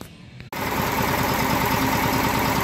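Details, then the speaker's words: Test engine previously run on car wax in the crankcase, now with a little regular oil back in, at low speed idle: low, steady, even beat with no knock despite very poor compression; normal idle. "So that's on the low speed idle. That's as low as she goes. And as you can hear, not even a knock, and that's just with a little bit of regular oil back in it."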